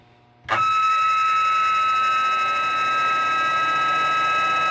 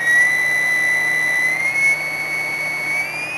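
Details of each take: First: Zero Fossil Fuel PWM clone controller, with an upgraded add-on board after replacing two caps, driving a radiator cooling fan. The fan runs with a steady high-pitched whine from the PWM switching frequency heard in the motor. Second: Constant-current PWM controller clone (Zero Fossil Fuel CCPWM) driving a hydrogen cell, with repaired capacitors: a steady thin whistle near 2 kHz creeping up slightly in pitch. Normal switching whine.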